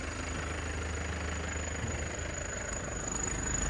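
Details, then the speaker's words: Isuzu Panther Grand Touring, late 2007, manual turbo diesel; steady even low rumble with light clatter, no misses or knocks, underside dry, no blow-by, clean exhaust smoke; normal diesel idle, engine judged healthy. "Insyaallah mesinnya sehat, kering. Kolong kering enggak ngobos, ya."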